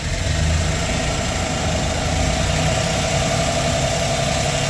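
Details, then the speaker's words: Chevy 4.3 V6 van engine after rebuild with camshaft, lifters, heads, timing chains, updated rocker trunnions: steady even rumble, no lifter ticking as before; good oil pressure around 70. "I don't hear the real distinct tick though, like before, where it's click, click, click, click, click, click. This sounds like a normal engine to me."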